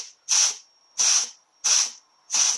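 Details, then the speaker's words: Mazda FN4AEL / Ford 4F27E automatic transmission during overhaul (original fault: no reverse, no 3rd or 4th, slipping), air-tested at 65 psi before the valve body goes on: four air-hiss bursts ending in piston thuds. Forward clutch, low/reverse band and clutch packs apply and hold. "you can hear it the collection point so here we've got the forward clutch low and reverse band and the two clutch packs there you go everything's there"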